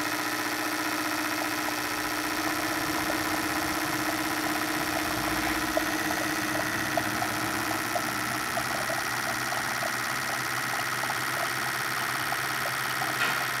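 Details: Hyundai Santa Fe 2.7 V6, brought in for misfiring and heavy exhaust smoke: steady, even idle hum with no misses, knocks or surging after the injectors were replaced; appears to run normally.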